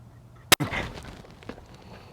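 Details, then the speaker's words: Yamaha F225 outboard whose tilt-trim would not raise: cracking the trim fluid fill bolt gives a sharp pop, then a short fading hiss as trapped air under pressure vents from the reservoir. "yeah you hear that I don't know if you can hear that but there's some air still coming out"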